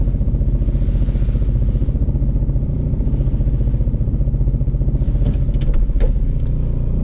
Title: Ape50 weird engine sound